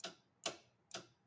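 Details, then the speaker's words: Lathe lid interlock switch after cleaning with contact cleaner: sharp separate clicks about every half second as it snaps in and out; opening the lid pushes it in so the lathe cannot run; switch working properly. "clicking in and out. And when you open the lid, pushes it in. So, the lathe can't run, whereas it can run in that position."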